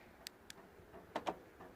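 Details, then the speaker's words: 2012 Ford Focus Mk3 TDCi whose remote only unlocks: pressing lock gives faint clicks, then a double clack, as the door lock actuators respond, but none of the doors lock; cause not yet found. "Okay, there's something happens on the doors, but the car still not locking. Okay, and as far as I'm aware, none of the doors do lock."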